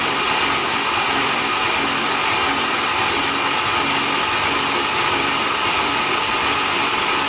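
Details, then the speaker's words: Built 3800 V6 before first start, spark plugs out, cranked about 60 seconds to prime oil: even, fast, hissy whirring with no firing or knocks; turning over normally, sound changes once oil circulates. "oh you can hear the difference once the oil went through the system you can hear the difference in how the motor sounds so the motor is ready to be started now"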